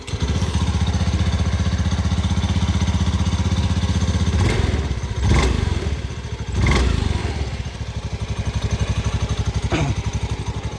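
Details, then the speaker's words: Honda Beat FI ESP 2019 scooter idling with a busy low thrum and faint metallic "cing-cing" jingling from the CVT area; acceleration and ride stability are fine, the only complaint is the CVT clutch rattle. "Cuma masalahnya ada di bagian noise atau suara gemerincing. Nah, seperti ini. Cingcing-cinging seperti itu."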